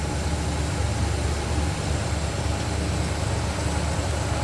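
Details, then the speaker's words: 1973 Buick Electra 225 Custom hardtop, believed original, 26,779 miles, 455 four-barrel V8 with Turbo Hydramatic 400 automatic: deep, even idle rumble with a steady beat and no misses or ticks, smooth-running and healthy. "nice clean tidy looking engine bay smooth running 455 1973 Buick Electra 225 custom twodo hardtop"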